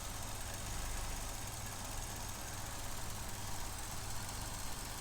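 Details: 2015 Vauxhall Corsa E 1.4 Ecotec idling, codes P0300 misfire and P0171 system lean, complaint of misfire and lack of power: low uneven rumble with slight irregular shake; rough idle, suspected faulty MAF sensor or air leak.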